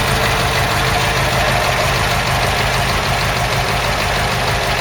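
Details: Ford Cortina Mk3 GXL Pinto engine after the season, engine bay walkaround: steady even tickover with no misses, hunting or knock; normal healthy idle.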